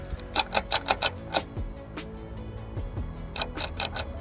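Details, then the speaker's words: Land Rover Discovery Sport L550 2.0 TD4 Ingenium diesel that showed a restricted-performance warning, lost power and cut out. Turbo wheel turned slowly by hand gives irregular ticks and scrapes. Collapsed turbo, impeller rubbing its housing. "we know why it had no power the turbo's collapsed on itself"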